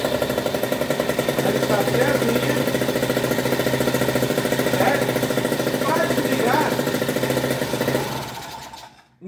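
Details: Two-stroke moped (mobilete) engine with a decompressor head, pull-started: a crisp, even putter holding steady speed for several seconds before shutting off. Clean-running. Normal idle.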